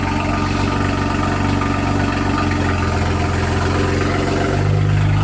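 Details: Car just back running after transmission install and clearing error codes, engine not warm yet; steady even low idle, no knocks or misses, settling slightly higher near end; normal idle.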